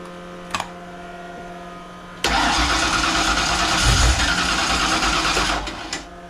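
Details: Fox-body Mustang convertible with a supercharger, carburetor freshly reassembled and float level hard to adjust. After priming it catches, surges roughly for a few seconds, then sags and dies. It fires but won't stay running, likely because the float is set too high.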